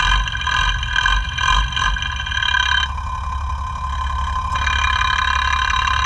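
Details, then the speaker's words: FAW 260hp truck diesel after engine overhaul, idling, checked with sound tester at each injection pump plunger: uneven tapping knock two–three a second over clatter; number-one plunger much louder, pump sent for repair. "आवाज जो है एक number की बहुत ज्यादा है जैसे कि एक पिस्टन जो है वो सेड मार रहा है टक टक टक टक इस तरह से आवाज आ रही है"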